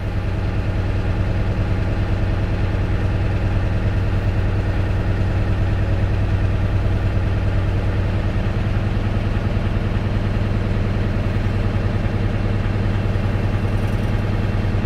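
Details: Manual Class A tractor-trailer diesel held at about 1200 rpm while air builds to normal pressure during the brake test: deep, even idle with a steady low rumble and no knocks or surges. Healthy.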